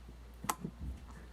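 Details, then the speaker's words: Ariens GT17 garden tractor's new Chinese starter: drive gear sticking on its shaft after flinging back, forced by hand gives a single sharp click and softer bumps; intermittent, cause unknown, shaft end to be inspected. "If I force it, you can hear there's almost a clicking noise."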